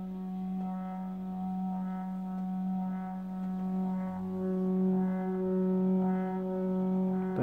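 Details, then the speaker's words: Rhino Motion slider (second replacement unit) loud steady buzzing drone only on speed 4, other speeds fine; manufacturer says normal, previous 42-inch version was quiet. "is really really [Music] loud wow"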